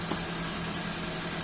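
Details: 2005 first-generation Toyota Avanza at idle after repair, scanner showing no EFI faults: steady, even idle with a smooth low hum, no knocks, misses or surging; engine running normally.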